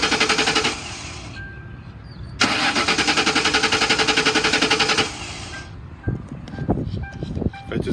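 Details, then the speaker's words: 2004 Ford Crown Victoria Police Interceptor, 86,000 miles, automatic: steady, even cranking at normal starter speed for several seconds without catching; cranks but won't start, suspected bad fuel pump since it ran briefly on fuel poured into the intake. "it does it does start up and it sounds good but it appears to have a bad fuel pump so it's being sold as is and I'm gonna hit the key here so you can hear it turn over"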